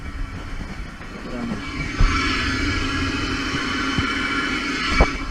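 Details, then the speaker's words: Bus under major restoration: steady rushing hiss of air escaping from the front suspension airbag over a low rumble, with odd thumps. Owner suspects a sticking valve, not confirmed. "is air being let out the front airbag so I think there's a valve sticking which is what's causing that problem"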